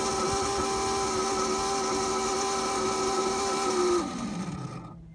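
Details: Unusual noise at idle: a steady whine with a hum underneath, then the pitch sags and fades as the engine shuts down; source not yet identified.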